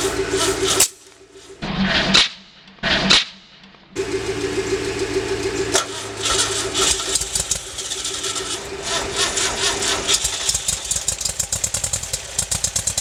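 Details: 1974 VW engine after headwork, new exhaust valves, springs and rings, 205K distributor, Pierburg mechanical fuel pump, Solex 30PICT-1: several short bursts of cranking, never settles into a clean run; fuel-starved because the pump was plumbed backwards.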